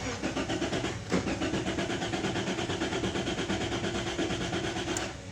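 Engine catches after a short crank and settles into a steady, fairly even idle pulse around three beats a second; starts and runs normally.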